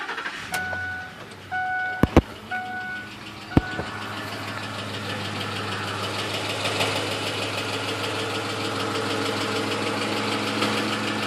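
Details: 2006 Ford F-150 5.4 L that began ticking during a long road trip: after start-up, a light, quick ticking runs with the idle over a steady hum; cause unknown.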